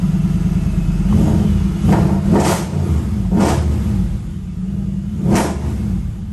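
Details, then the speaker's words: Mercedes-Benz E550 coupe (C207) V8 just restarted after a battery replacement, first attempt failed. Deep, even idle with several clean throttle blips rising and falling smoothly, no knock or clatter; owner says it feels and sounds normal. Normal idle and revving. "Feels normal. Sounds normal."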